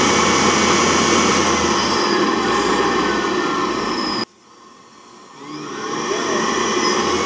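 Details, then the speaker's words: Laundromat gas water heater whose fan motor had fried, firing up at its set temperature; draft damper tested fine. Steady, even rushing roar from the fan and burner, briefly cut then back up: heater lit and running normally. "Alright, it's firing up. That's the temperature it's set at. Ooh, hear the fan? And we get a flame in here."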